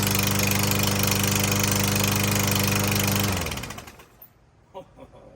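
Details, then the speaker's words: Troy-Bilt TB110 lawnmower just after carburetor and spark plug replacement, running fast: even sharp clack-clack in time with firing despite plenty of oil; suspected piston slap, unconfirmed. "good well I I know why they got rid of this it sounds like a slapp in the Piston the Piston slapping this thing's a piece of junk"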